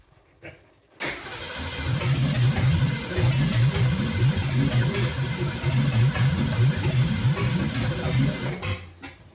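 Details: 1969 Ford Mustang 302 small-block V8 restoration, first start: starter cranks at an even, low pace with a few weak catches as timing is off a little, but the engine never picks up and runs; cranks without starting.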